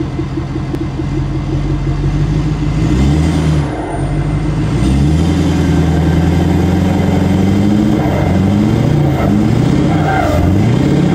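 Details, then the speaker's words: 6.7 Powerstroke in a Ford F-250 whose oil showed lots of metal, just restarted: deep revving with an uneven puffing cough as revs drop, like a blow-off valve; the wastegate fluttering is suspected. "so I don't know if you guys can hear that it kind of has like a cough and it almost sounds like a blow-off valve on a like a turbo car"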